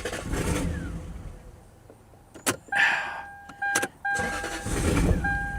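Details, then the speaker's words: Lexus LS400 V8, abandoned for 10 years, fires strongly and catches at once, then immediately stalls, twice; codes show cylinder 4 misfire. Not a hard-cranking problem. "The car starts right up and immediately dies."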